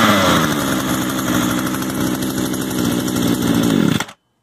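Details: Used Echo gas trimmer after idle adjustment, choke off: small two-stroke buzzes at a steady, even idle for about four seconds before shutting off; idle settled and healthy.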